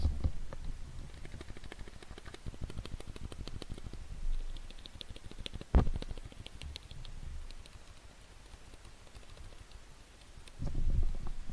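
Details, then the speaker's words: Cherry MX Silent switches on a keyboard, recorded with a headset mic held close. The J key ticks badly and other keys tick much the same, while Escape is one of the few without the problem: sharp little ticks instead of a quiet press. "and then I want to move over to the J key on which it's really bad and go through some other keys which more or less tick the same"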